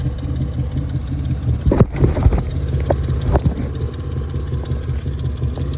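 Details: Petrol engine at light throttle: rough, uneven running with irregular stumble and a few sharper pops, a misfire; spark plugs to be changed, radiator fan also not kicking on, cause unconfirmed.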